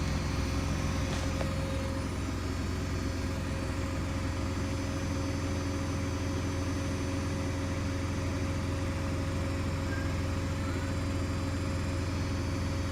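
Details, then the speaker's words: New Hoover DXC C49W3 Dynamic Next 9 kg washing machine spinning a half load, nearly 80 dB on a decibel meter. It makes a loud, deep roar with heavy rumbling throb, excessive spin noise of unknown cause. "that's not on no washing machine should like be nearly 80 DBS"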